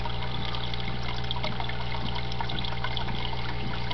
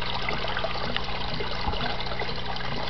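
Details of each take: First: Desktop aquaponics, two tanks, two grow beds, one pump: steady trickle with soft gurgling pulse about four times a second over low pump hum; bell siphon draining normally, complete once bubbles stop. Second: Desktop aquaponics, two tanks, two grow beds, one pump on a timer: steady rush and gurgle as the last bed fills nearly to the top, barely room to drain; pump interval too long, to be retimed with ATtiny.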